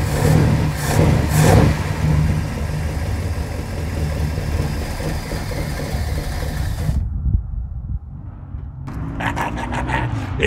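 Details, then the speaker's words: 1969 Mercury Monterey 390 V8 first start in 16 years, carb primed, pulling fuel from the tank; deep rumbling revs settling into lumpy but sustained running; engine runs, carb not leaking. "runs and not only does it run i am so stoked right now"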